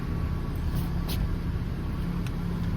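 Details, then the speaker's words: 2003-2007 Honda Accord 2.4L at idle after power steering pump replacement and bleeding air lock to lock; steady low rumble with no whine, pump quiet and healthy, steering much better: normal power steering pump operation. "And as you can hear, no more whining from this steering pump."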